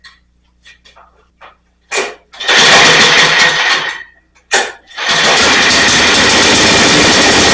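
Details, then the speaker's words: Snapper rear-engine 8 hp pull-start mower, revived after years in a field, carb reinstalled with float set properly: a few pulls, one catch, then a steady, even drone; runs real nicely after the fix. "So where we're sitting right now with it, it runs real nicely."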